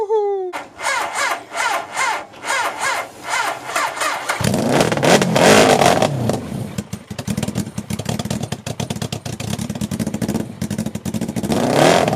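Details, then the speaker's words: Half-scale NASCAR kart with 750cc four-cylinder motorcycle engine, abandoned outside four years; cranks then barks roughly on sprayed starter fluid to a ragged idle; not getting fuel, carburetors suspected clogged, gas tank shot. "yeah all right I normally don't recommend spraying starter fluid in but I had enough of hearing it run like that I want to hear this thing rev up and run for a little bit"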